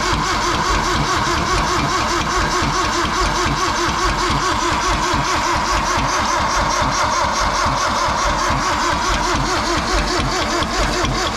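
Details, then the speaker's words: 1972 Toyota Celica 18R-C engine, restarted after 26 years, gravity-fed fuel, valve cover off: rough, uneven run with a rapid ticking knock from the front top end; owners suspect the timing chain tensioner, unconfirmed. "Yeah, it's definitely coming from the front of that chain. Chain tensioner, really. It's got to be the chain tensioner."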